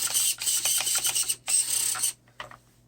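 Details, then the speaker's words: Steering servo on an Arrma Voltage Fazon RC truck turning right: harsh, uneven high-pitched grinding and ratcheting bursts; stripped servo gear, to be replaced with gears from another servo. "the truck turns left just fine. But if I turn it to the right, you can hear the servo is just not happy."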